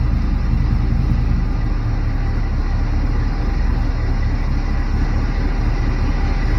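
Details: Barn-find Chevrolet C10 V8, unused 17 years, after fixing the stall by resetting timing to zero from 37 degrees over-advanced: steady, even low rumble with no misses, surging or stumbling; smooth idle.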